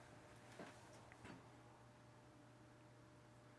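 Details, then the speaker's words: 42" Hunter Original ceiling fan, model 23827, reversible, likely permanent split capacitor motor, on low speed drawing 0.31 A: quiet, steady low hum with a faint constant tone, no ticking or wobble; normal running. "I could do with a slower low speed, but it's not bad."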